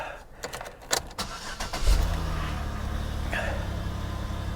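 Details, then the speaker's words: Salvage auction car with check engine light on: brief crank then engine catches at once and settles into a steady even idle, a clean healthy start. "she fired right up, too."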